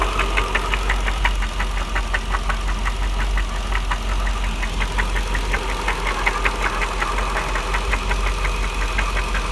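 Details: 1999 Jaguar XJR idle: sharp, evenly spaced metallic knocks a little under three a second. They began after secondary tensioners were replaced and the engine overheated on a drive and was shut down at once. Owner asks if it is rod knock; unconfirmed.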